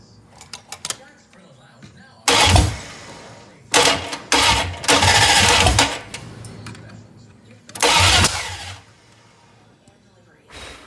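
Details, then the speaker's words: 1966 Plymouth Barracuda with rebuilt 1967 273 V8 replacing the seized original, first-fire attempt: several short bursts of even starter cranking, never catching; cranks but won't start. Timing suspected off; new points and timing to be tried. "Probably not right. Try a different approach here. Off his timing, it sounds like."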